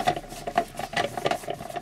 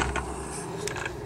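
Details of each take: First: Logitech MOMO force-feedback wheel after disassembly and servicing: a soft, even motor whir with only light gear patter and no harsh rattle. Vibration is still there and it is now nearly silent compared with before. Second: Logitech MOMO Racing force-feedback wheel with the driver installed: gritty whirring with creaky ratcheting from the gears as the motor turns the wheel, less audible when held; owner suspects a gear problem.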